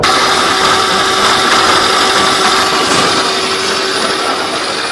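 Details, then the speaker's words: GAC Trumpchi GA5 range-extender hybrid, 280,000 km, many fault codes: steady rough grinding whir with whine, worse accelerating and louder off throttle, from the drive unit (not generator side); case cracked, leaking oil, internal parts broken into debris. "仔细听，加速的时候特别明显，一收油啊也会变重，要修的就是这个声音。"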